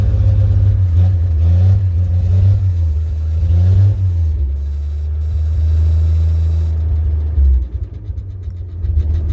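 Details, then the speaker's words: Cold start in snow of carbureted V8 equipment, tapped throttle to about two grand after faulty accelerator pump: big rumble rising with blips, then even steady idle. Runs smooth. "but she'll Pearl like a kitten now so starting up"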